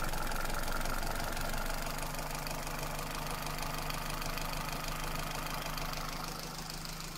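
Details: Toyota Celica with 2ZZ engine: idle carries a faint repeating knock, roughly three per second, under the engine hum; internal knock, cause undetermined.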